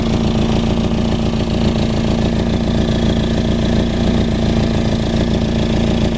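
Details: Nissan 240SX KA24DE with 248/232 cams, intake, header, 3-inch resonated test pipe and 3-inch duals: at idle a sharp puffing tick pulses about three or four times a second over the exhaust note, an exhaust leak.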